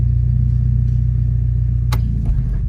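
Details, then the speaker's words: Automatic transmission with the engine running, shifted from park into reverse with the brake held: steady rumble, then one hard bang that shakes everything. The gear slams in; a faulty safety neutral switch is suspected rather than a bad transmission. "when you put it in drive or you put it in reverse it bangs in all right like like this"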